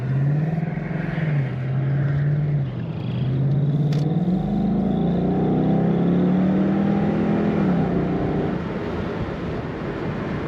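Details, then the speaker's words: 2012 Ford Mustang GT Premium convertible, V8, automatic, very low miles, driving with the top down. Deep V8 rumble rises and falls smoothly under throttle, pulling cleanly with no knocks. Temperature gauge under half, oil pressure mid-gauge. "good when you get on the throttle. Very comfortable."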